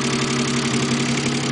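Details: Mazda K8 engine idling with rapid even knock, started after removing left camshafts to change a retainer; owner believes belt timing correct, tensioner fine. Engine knocking at idle, cause unknown.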